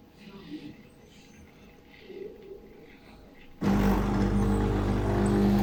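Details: Zepline ZP6806 coffee machine about two months old, coffee not flowing: quiet at first, then a loud steady buzzing hum as the pump runs evenly. Pump partly burnt (1.3 MΩ, likely one winding), tested with its valve spring removed; replacing the pump is advised.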